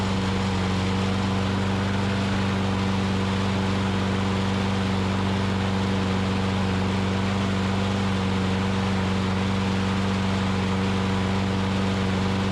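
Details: Older Troy-Bilt push mower after refitting the governor spring in its correct position and replacing the dry-rotted, broken carburetor bowl O-ring, primed, runs at a steady even drone without surging; carb still due for cleaning.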